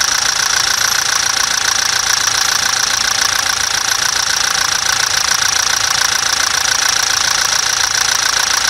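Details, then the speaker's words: 2017 Toyota Hilux 2.8 1GD diesel with a brand-new 0 km replacement engine, after the original failed with near-zero oil pressure and crankshaft play: crisp, even clatter ticking about 3.5 times a second at steady idle, no misses. Healthy idle. "e a muita melodia é mais que uma melodia é uma Sinfonia olha o show de bola né Guerreiro"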